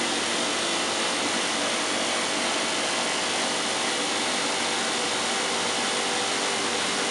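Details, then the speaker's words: 1986 Hotpoint Supermatic Plus 9400 twin tub spinner after new spinner-to-motor belt: picks up speed quickly to 3,100 rpm, smooth high whir, no knocking or scraping; healthy. "oh yes just pick to speed up quickly oh fantastic oh yes 3,100 RPM listen to"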